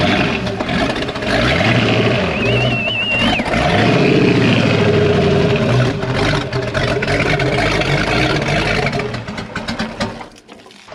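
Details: 1992 Sea Ray 38 SS, starboard MerCruiser 7.4L MPI L29 V8 (Bravo 3 sterndrive), unrun about five years, on water muffs: cranks, catches and settles into a steady, even idle with low rumble and water splashing; runs clean after restart.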